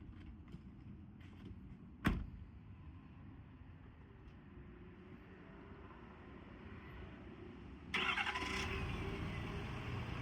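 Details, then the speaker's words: 2018 Ford F-550 crew cab XLT 4x4 crane service truck, 6.7 Power Stroke diesel, automatic, 48,000 miles, about 64 engine hours: cranks, catches, settles to a smooth idle, then idles up when the PTO is set; sounds healthy. "Now, I set the PTO, as you just heard, idled up a little bit."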